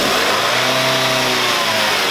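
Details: Light car (경차) after cleaning the mesh transmission oil filter and refilling fluid, heard from under the lifted car at 2000–3000 rpm: engine revs evenly with a smooth rush, no whine or grinding; transmission now normal.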